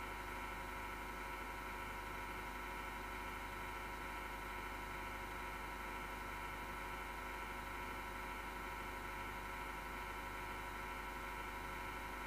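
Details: Desktop PC power supply fan, grinding recurring after months of quiet, vibration felt, gone after being off overnight last time: steady whirring hum with several fixed tones and faint rough grinding; owner suspects a bad, vibrating fan bearing.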